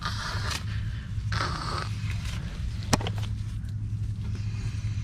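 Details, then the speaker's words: 9th-gen Honda Civic: light metallic scraping in short bursts as the front wheel is turned by hand; in driving it scrapes/screeches turning left under wheel load. Brakes suspected, wheel bearing doubted; drag about equal both sides, unconfirmed. "it's about the same on drag actually it's just a little metalic sound huh"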